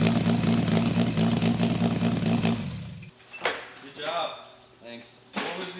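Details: Honda K24 in a Toyota MR2 swap on Haltech Elite 1500, first start on the stand on old fuel after correcting the TDC angle setting from 70 to about 310 degrees: firm, even engine note for three seconds, then drops away; runs cleanly.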